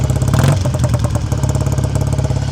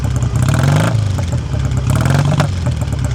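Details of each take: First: 1959 BSA A7 Shooting Star 500cc twin motorcycle, still cold, choke off, heard near the exhaust: idle runs too fast with a quick, steady thumping beat until the idle screw is turned down. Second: 1959 BSA A7SS Shooting Star 500cc twin, older restoration, heard by the exhaust. Still warming up from cold, choke off, idle screw just turned down from running fast. Deep, even beat with no tapping: smooth, normal idle.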